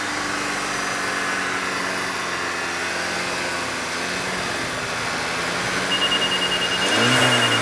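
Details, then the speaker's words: 2013 VW GTI 2.0L turbo during ATS 3C induction carbon cleaning, chemical B being drawn in: steady engine roar that drops and bogs heavier as cleaner enters, engine lugging, exhaust smoke clearing. "and you can hear the motor lugging up chemicals coming out it's starting to get clearer in the back not as much smoke"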